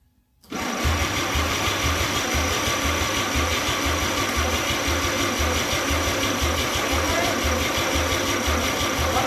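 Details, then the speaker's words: 261 straight six engine on first start attempts: steady cranking about three beats a second with brief firing catches as it takes fuel, but it never picks up and holds an idle; fires but will not keep running. "hear it taking fuel ready and it was at this exact moment that I knew this engine did fire yes it just fired woo W all let's do it again oh yeah it just fired"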